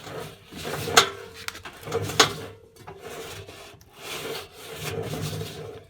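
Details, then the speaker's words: Indesit Innex washing machine (Merloni), drum turned slowly by hand: dry, rasping rumble with rough catches, like going over speed bumps; drum bearings badly worn. "it's it's like it's uh going over speed bumps you can't see that but i can feel it you can hear it can you i think i think so that's awful it's just it's just awful"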